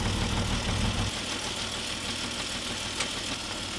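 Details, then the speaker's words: Peugeot 605 3.0 V6 PRV, after a difficult push-start, nearly stalling: uneven, lumpy low thumping idle that sags and weakens as if about to stall; rough running, cause unknown. "je ne sais pas pourquoi elle tombe aussi mal Elle est pas contente. Pas contente du tout."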